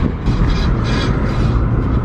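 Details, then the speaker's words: Lowered sedan on new K Sport coilovers, driving: hissing metal scrape pulsing with wheel rotation from a bent dust/heat shield dragging; fixed by bending the shield back. "oh my god that's that freakin dust shield ragging again I can't do it dude I gotta go home and fix it just drive me freaking nuts"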